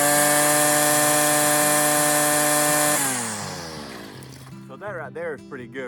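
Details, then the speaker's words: Stihl FS56 residential string trimmer cutting tall, thick grass with the line length set right: a steady, high-pitched two-stroke scream at full throttle that winds down cleanly; healthy full-throttle rev. "Something you should learn is a length of your string and knowing the sound that your engine makes on your weed eater and knowing if it's uh sufficient for the type of grass that you're in."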